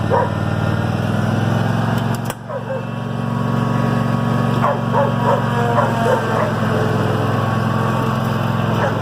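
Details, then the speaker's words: 2005 Cub Cadet RZT 50 mower after right-side hydrostatic transmission rebuild: steady, even low engine drone with no knocks or surging under a barking dog; running smoothly. "all right mowers back up and running we're good to go"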